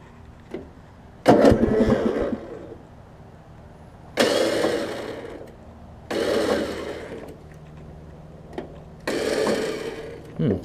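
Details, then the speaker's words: Craftsman riding mower engine, restart after carb and brake adjustment: several short uneven cranking bursts cutting off with a tight bind; starter hanging on missing flywheel teeth, likely stripped by a previous engagement; starter itself fine. "that doesn't sound good alright so I found out what it is this thing's missing some teeth on the flywheel"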